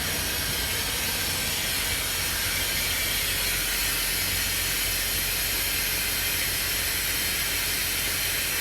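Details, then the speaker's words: Semi truck trailer while setting trailer brakes: loud continuous air hiss as trailer slouches down; air leaking from trailer brake system. "And I'm going to show you what it does whenever you set the trailer brakes. So, one of the things you'll notice, you see how the trailer's setting right now? It's going to like slouch down."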